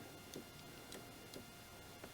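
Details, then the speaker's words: Kioti CS2520 subcompact tractor idling, third-function hydraulic solenoid triggered: soft, sharp clicks about half a second apart over a quiet hydraulic hum as the solenoid opens and closes, directing recirculating flow to the front coupler; normal. "That's opening and closing the solenoid in here, which directs flow up to the front, up to here, and then into your coupler."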